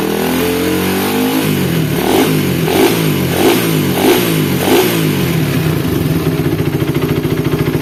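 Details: Suzuki Satria FU after a rebuild replacing the worn crankshaft bearing; it previously sounded rough at the head and lower engine with ticking and clutch-housing rumble. Now it blips and settles into an even idle with no knock; normal running.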